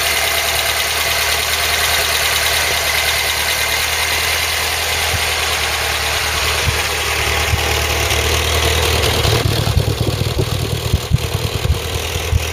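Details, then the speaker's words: Ford Cortina Mk3 with newly rebuilt 2.0 Pinto engine, first start on test with Weber carb and auto choke; steady idle with faint quick light tapping on top, valve tappet tick, clearances likely need redoing. "maybe a little bit happy perhaps but only our first take on the files will probably redoing clearances on those yes it is tap in a bit"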